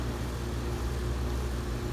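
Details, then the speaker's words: ICP Comfortmaker gas furnace system on a no-cooling call, after variable-speed indoor blower motor replacement; recorded standing right next to the unit, hot air coming out: low, even hum with soft airy rush, no knocks or rattles, running quietly, normal. "okay she's running fairly quiet as you can hear we have hot air coming out of it"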